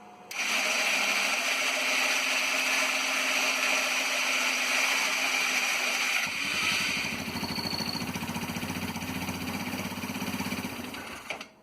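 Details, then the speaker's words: Yerf Dog CUV Rover, fairly new 2018 battery on charger at best voltage: long labored starter whir with rapid uneven chatter, then engine catches and runs rough; hard start that can take 5 minutes; motor to be removed. "And there it goes. So, sometimes that can take 5 minutes to start. I've got the charger on it, got the best battery voltage possible, and it still struggled."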